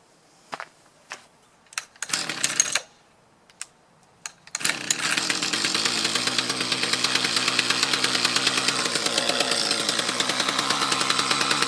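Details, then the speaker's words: Mantis tiller with a Kioritz Echo two-stroke engine bogging under load: a rough, uneven buzz that fails to rise. Suspected fuel starvation, possibly from a clogged fuel filter. "right so i could replicate the problem again as soon as you let off the gas let it idle for a little bit and reapply it works so i'm thinking it's not getting quite enough fuel"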